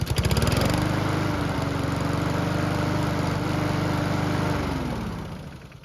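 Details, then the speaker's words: Honda lawn mower after repairing a hole and fitting a new gasket, restarted hot after several minutes' running: steady even low putter, no misses or hunting, then smooth spin-down; hot start and running normal. "So, it's been running for several minutes, and the engine should be good and hot. Let's see how it starts back up."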